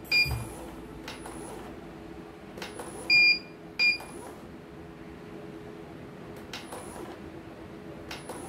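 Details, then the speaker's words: CNY embroidery machine (M21), sent in fully jammed with heavy rotation, on a test run during servicing. Several short, high-pitched beeps at uneven intervals over a quiet room hum: the machine signals an error and stops, so it must be opened up again. "Oke, okay. Error. Kalau error begini ya terpaksa kita buka lagi."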